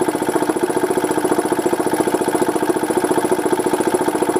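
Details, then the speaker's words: Goodyear 20-gallon oilless air compressor: steady, slow, evenly spaced chugging as the pump labours; pressure climbs very slowly; the pulley is the warmest part. "so uh yeah it goes up the uh pressure goes up very slowly"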